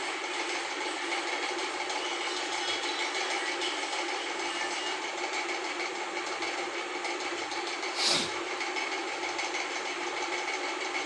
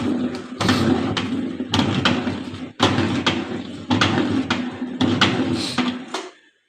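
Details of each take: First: LG intello wash 6.0kg WF-T7066MN washing machine on spin after gearbox replacement for a grinding noise: steady, even spin hum with no grinding or scraping, normal spin cycle. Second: LG WF-T7066MN 6.0 kg top-loader washing machine on wash cycle: rough grinding under a low hum with heavy clunks about once a second from a worn gearbox.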